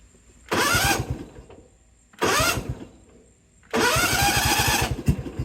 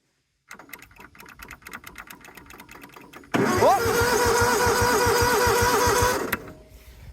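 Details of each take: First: John Deere GT245 mower with Kawasaki engine, just after fitting a new starter (old one was sluggish and sticking): three brisk cranking bursts with a quick, even compression beat and the engine catching; normal starter cranking. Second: John Deere GT245 mower; slow cranking clicks, then the engine catches but a loud whirring grind stays on top as the starter sticks closed: starter stuck engaged, crusty solenoid suspected.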